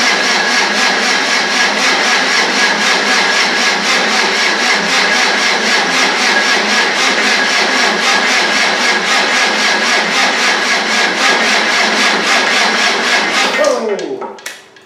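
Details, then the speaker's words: 300Tdi on the old starter, cranked with injector pipes and turbo oil pipe off and an electric pump bleeding fuel: steady, even compression pulses about four per second for thirteen seconds, never fires. Oil pressure confirmed, with oil spewing from the turbo feed. "I've got an electric pump on for fuel, so that's bleeding through, and I've got a filter up there. Let's crank it over and see what happens."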